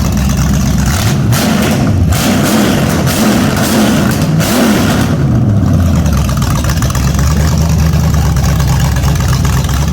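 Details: Rebuilt 350 (010) V8 with carburetor on an engine stand for a Holden HQ sedan, first run: strong even burble, picks up cleanly on throttle blips and settles back smoothly; running perfectly.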